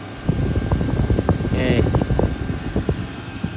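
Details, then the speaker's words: VEVOR diesel air heater kit running after priming its long fuel line, air now hot: steady low blower rumble with light even ticking, no surging or stalling. Owner was checking for a diesel leak and all seems fine; normal running. "dobbiamo capire se ho una perdita di gasolio oppure va tutto bene sembra che vada tutto bene Ora sì che ci siamo"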